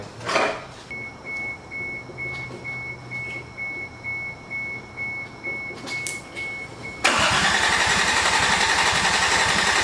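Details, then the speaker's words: 1988 MK3 Supra with swapped 1JZ-GTE VVTi, start attempt with fuel pump jumped: starter churns in slow even pulses with a high whine for several seconds, no catch, then a roar as it tries to fire. "she did something different that time what happened it's trying to fire up now"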